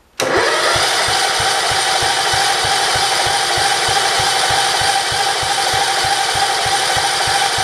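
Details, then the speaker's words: 1968 John Deere 110 garden tractor, first start after an engine install: steady cranking pulses about four a second that never fire; the throttle won't move, and the owner suspects a dirty carburetor though he doubts it. "okay why won't it start that's very weird here we go oh maybe that idol might be a little bit low let me idle it"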